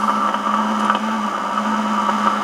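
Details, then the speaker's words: Yaesu FT-101 receiver traced with a repaired Eico 147A signal tracer: constant hiss, a low hum and a ringing midrange tone. The noise is located at the AGC input; a broken capacitor lead or a failing component in the AGC circuit is suspected. "but if I monitor the AGC coming in listen to that that is where noise is coming from so there's something in the AGC circuit is either a broken lead on capacitor or you know a component faing"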